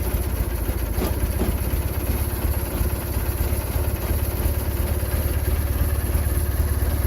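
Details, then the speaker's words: Husqvarna GT riding mower twin-cylinder engine, cold start after sitting since January, reinstalled engine: even low idle rumble with steady beat, no clatter or stumbling; fired easily, runs normally, charge light still on. "I was originally thinking it was going to be more of a cranker wanker video, but it actually fired up a lot easier than I thought."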